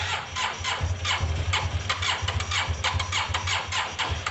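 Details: Yamaha TMAX carbureted scooter on sprayed starting fluid: uneven, stumbling firing that catches only briefly. It is struggling with fuel, from delivery or caked-up carbs that need cleaning. Fuel starvation.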